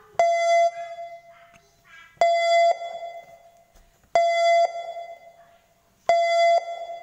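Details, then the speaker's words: Mitsubishi car being locked: four short, clear mid-pitched beeps about two seconds apart, the normal door lock confirmation. "apa namanya tuh bunyi setelah pada saat dikunci biasanya bunyinya seperti ini"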